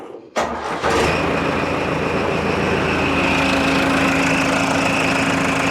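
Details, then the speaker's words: Old diesel backhoe loader, stubborn after sitting, jump-started with NOCO GBX155 booster: quick short crank, fires at once and holds a steady, even idle clatter; starts healthy. "No problem at all. It didn't even hesitate. That thing is putting out a lot of power."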